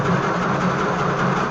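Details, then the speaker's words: Oliver 66 diesel tractor, not run since 2023, fluids checked, first crank; even, unlabored cranking rhythm with no catching or binding, engine spins freely and isn't seized. "Wow. She's not tight."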